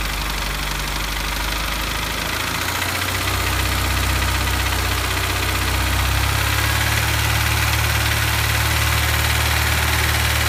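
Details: Honda S2000 idling: steady light tapping about three per second persists after replacing cam chain tensioner, belt tensioner, cam sensors, gaskets and checking bearings, valves, cams, compression, injectors, valve gaps; source not found.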